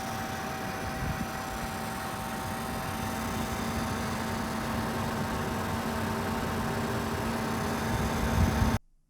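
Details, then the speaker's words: Gigabyte RTX 3080 Gaming OC 10G graphics card under load: steady fan rush with thin, constant coil-whine tones on top. "all right so as you can see the coil line problem is pretty common it also happens on this card"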